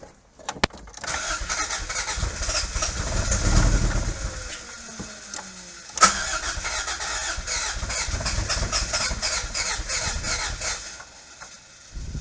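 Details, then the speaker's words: 1986 Toyota MR2 AW11 salvage car with replaced fuel tank but no fuel reaching engine, had been backfiring: steady starter churning about four cranks a second, repeated twice, no firing; crank no-start, owner suspects injectors not working. "Those injectors are not working. It's the injectors."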